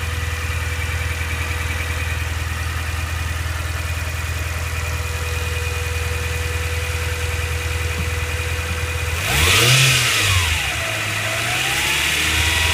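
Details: Mitsubishi Pajero Mini 4A30 turbo engine: steady idle carries a thin high whistle, then on a throttle blip a whine sweeps up and back down; abnormal turbocharger noise.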